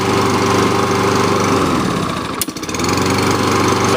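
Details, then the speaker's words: Kohler Courage engine on a Lawn-Boy mower after service with new carburetor, fired on first pull: steady, even single-cylinder buzz at constant speed, no misses or knocking; runs smooth and healthy. "good engines right nice and smooth so the engine has a test right there"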